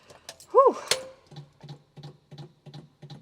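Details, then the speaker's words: Morris Minor after engine swap, first start attempt, engine not yet running: steady light ticking about three times a second from electric fuel pump priming; pump working normally. "well I don't know if you can hear it but at least we know the fuel pump's working"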